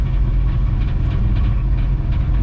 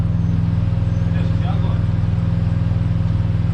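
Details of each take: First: Ford AU Falcon drift car with a newly installed 2.5-inch exhaust: deep, even rumble with a soft burble as the throttle closes; exhaust note healthy, apart from a rattle from a hanger touching the spare-wheel well. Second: Ford AU Falcon drift car, warm, with a newly installed exhaust. Steady burbling idle, then blips whose pitch climbs unevenly and stumbles at the top: breakup under hard throttle, with the ignition coils suspected.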